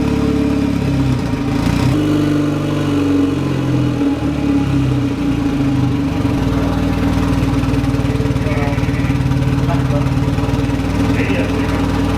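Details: VW Golf Mk1 4Motion AWD turbo project, engine running again: sharp fast ticking puff riding over idle hum; owner finds exhaust leaking at manifold-to-turbo gasket, suspects one of the three joint bolts, re-tightens them.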